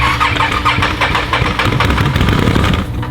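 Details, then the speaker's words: ATV/fourwheeler at 958 miles that began making a noise after water riding and smoking badly, motor thought blown: turns over and catches raggedly with harsh uneven clatter, no clean idle; rough failing start, cause unconfirmed. "I didn't smoking so bad too I think we finally killed it yeah yeah we killed her"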